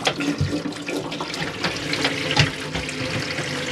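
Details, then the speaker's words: 2008 Auto-Sleeper Ascot motorhome kitchen hot tap: steady, even rush of water into the sink with no sputtering or air bursts, steaming hot; water system working normally. "your top there that's on the hot and you can see the steam coming off the water so that water is very warm your water system is working"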